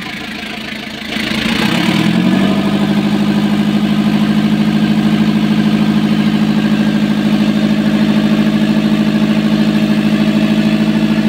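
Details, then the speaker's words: Kia KC2700 after overhaul, previously hard starting with slow cranking, leak fixed: catches after a brief crank and settles into a steady, even idle with a smooth low drone, no stumbling or dying. "Oh solve ang problema na okay na yung ano niya andar."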